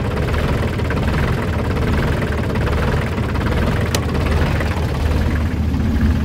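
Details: 2003 New Holland TC29D tractor diesel after sitting three years, new battery: steady low diesel clatter at idle, even and unbroken, running smoothly again.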